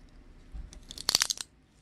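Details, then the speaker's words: Aluminium seatpost squeezed in a vise, short burst of dry crackling crunches; no visible deformation, but internal damage inside the seatpost is suspected. "얘도 변형은 없는데 일단 안쪽에서 데미지를 많이 먹은 것 같아요."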